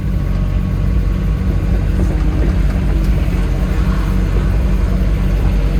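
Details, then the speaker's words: Farmer's diesel digger after service, adding washers so a part sits clear: deep steady diesel rumble with hydraulics pulling evenly as it now spins around on its tracks, where before it would not track; normal track travel. "Right, that's better. It's trying to spin around on its own now. See, before it was only going to there and it wasn't trying to track."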